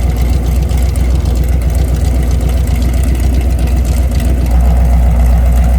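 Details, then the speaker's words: Mopar 383 V8, mufflers off, about 900 rpm: loud open-exhaust idle with a steady, even, slightly lopey pulse. No knocks or ticks, healthy mild street-cam idle. "And I tell Rick we always have to pull the mufflers off just to see what it sounds like. Nice little street cam."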